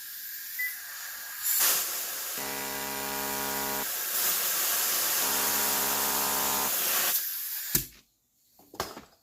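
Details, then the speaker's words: Bench-pulsing a fuel injector after cleaning out rust from ethanol fuel left sitting: loud spray hiss with two buzzing pulse bursts about 1.5 s each; injector now opened up and flowing freely. "so we can see that that's opened up well that's how you clean out injectors"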